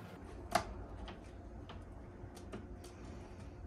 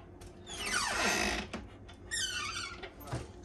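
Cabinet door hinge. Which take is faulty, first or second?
second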